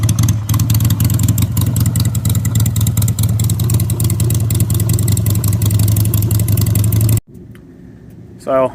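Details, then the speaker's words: 2001 Harley Sportster 883 with an aftermarket slip-on pipe, cold start at about 30°F on choke: loud, lumpy V-twin lope for seven seconds, then it shuts off; a very loud exhaust, and a vacuum leak is suspected. "that's too loud for me I think it doesn't sound bad a lot of people probably listen to and be like hell yeah brother sounds great but a little too too loud for me"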